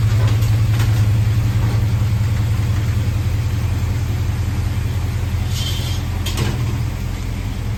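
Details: 1976 Ford F100 351C, freshly installed engine on break-in, after a timing adjustment: deep, even V8 lope at idle, steady pulses about two and a half per second, no knocks or ticks; healthy mild cam.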